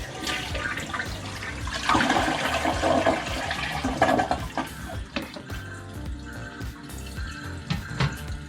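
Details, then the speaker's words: Kohler toilet that kept running, after replacing the worn gasket seal at the bottom of the flush canister: strong rushing flush draining cleanly into refill with no leak hiss; normal toilet flush. "all right so that seals everything off nicely we'll give the toilet a quick flush"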